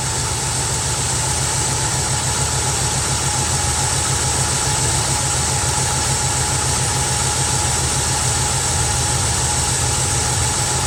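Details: Carbureted Mustang V8 cold start after replacing the bad arcing spark plug wire: even, steady idle with a smooth low rumble and no stumble or missed beats; idle sounds healthy and better.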